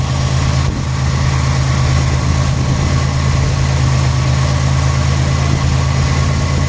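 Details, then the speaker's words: 1991 Buick LeSabre idling after repair work for code 41: steady smooth low idle hum with even firing and no knocks or ticks; idle rises and falls slightly as the computer runs its systems test, completely normal. "Sounds just fine. You might hear the idle change up and down a little bit. That's the computer doing its systems test. Completely and totally normal."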